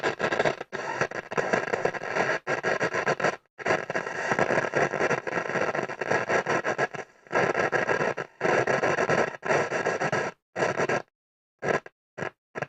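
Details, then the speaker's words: Hacker Autocrat RP33 radio: a loud, scratchy crackle comes and goes in ragged bursts with dead gaps between them. The fault is not the capacitors; the tuning capacitor is shorted. "Okay, so the problem is nothing to do with caps. It is the tuning cap is shorted right out."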